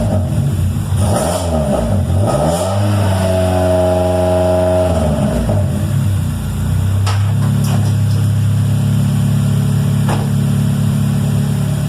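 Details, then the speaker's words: Honda D17 EM2 engine with 315k miles that had been burning oil, after an in-car rebuild with new rings and ARP rod bolts: revs rise and fall cleanly, then settle into a steady, even idle with no misses or knocks. It runs better than ever with no smoke. "Man, this thing is running better than ever. No smoke, nothing."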